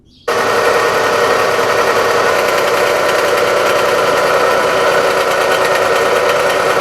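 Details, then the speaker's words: 2014 Dodge Avenger 2.4 L four-cylinder at idle: steady harsh grinding whir from a bad idler pulley bearing, tensioner also noisy; fixed by replacing idler pulley, tensioner and serpentine belt. "the main cause of this noise is a bad idler pulley but the serpentine belt tensioner is also making noise"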